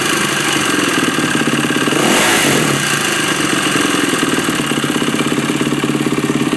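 Quick, busy single-cylinder beat with a short blip of revs midway and an odd chatter on top; something's off, cause not pinned down.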